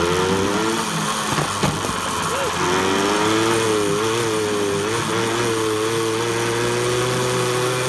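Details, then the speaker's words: Yamaha GT80 two-stroke, after repair, restarted once the brakes were fixed: a crisp buzz settles into a steady idle with slight throttle blips and no knocking or misfiring; healthy. "Oh, listen to that baby fire right up."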